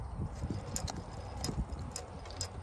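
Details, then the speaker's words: Detroit Series 60 with engine off, fan rocked by hand: dull, irregular clunks from a worn fan clutch hub bearing with visible cage damage, while the clutch still engages and disengages. "that's a shot bearing so the clutch itself is fine i mean it works it engages and disengages deadly care but that bearing on the back"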